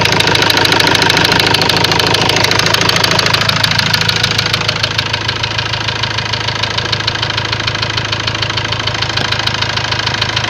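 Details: Ford Transit diesel at idle: a steady metallic tap, roughly 200 a minute and very regular. Later a warning light came on, revs stopped rising, and codes showed high-pressure calibration data, cylinder balance and a leaking injector. Origin unconfirmed.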